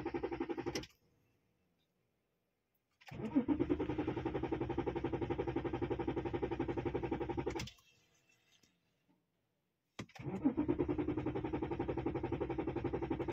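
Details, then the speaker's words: BMW E60 cranking: steady starter churning for several seconds each try without catching. The fuel pump control module is not coded and not communicating, so it fails to start on some tries; coding it with NCS Expert is planned. "believe me or not the car when I tried to start at few time start few time doesn't start it you also hear it"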